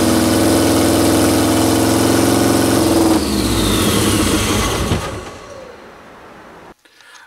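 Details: 1973 VW Super Beetle with swapped Subaru turbo engine (EJ255 short block, naturally aspirated heads): runs steady and even about five seconds, then switched off and winds down quietly; smoky exhaust, battery reaching about 14.5 volts, charging fine.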